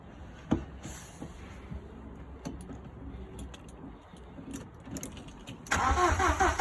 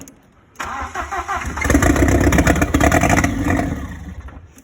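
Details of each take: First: Audi 80 cabriolet with a freshly fitted 1.8T AEB engine and new wiring loom, first start attempt with fuel and ECU connected: starter churns, engine catches briefly and unevenly with some gas, then dies; cranks but won't keep running; owner will try other ECUs. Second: Audi 80 cabriolet with 1.8T AEB engine conversion, first start on modified ECU after loom wiring, fuel pump heard priming: short crank, catches quickly, revs and settles smoothly; starts and runs normally.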